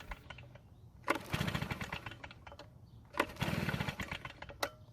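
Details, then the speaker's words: Stihl backpack blower two-stroke, no primer bulb, choked, with old fuel from garage sale; two brisk rope pulls spin it over but it never fires or sputters, stale fuel suspected. "I don't want to flood the engine so I'll uncheck the carburetor and pull the rub a few more times it didn't even try and start"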